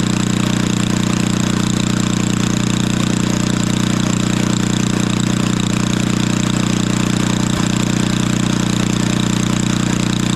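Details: 1964 Wards Power Kraft 110 V 1250 W generator with a Briggs & Stratton engine of about 3 hp, restarted with the choke off after a spark check, runs at a steady, even drone with no misses or knocks; the float was possibly sticking.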